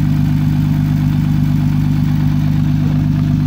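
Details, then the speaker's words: 2008 Honda Odyssey, 3.5L V6, automatic, 169,417 miles, at a salvage yard with the engine cover half off: smooth, deep, even idle hum with no ticking, knocking or stumble; engine runs nicely. "so we're running nicely doing once around this vehicle"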